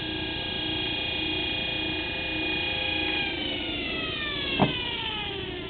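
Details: 24 V forklift DC motor without permanent magnets, field coils energized from a battery, intended as a windmill generator: steady high electric whine with an even hum that drops smoothly in pitch as it coasts; healthy motor, no rubbing.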